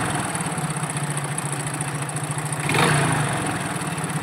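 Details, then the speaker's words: Hero Glamour BS4 motorcycle used with low engine oil: rough rattly knock at idle with smoke; suspected worn crank and cylinder bore, full engine rebuild planned; not confirmed. "దాన్ని check చేసి చూస్తే crank కూడా sound వస్తుంది smoke చూసారా ఎలా వస్తుందో"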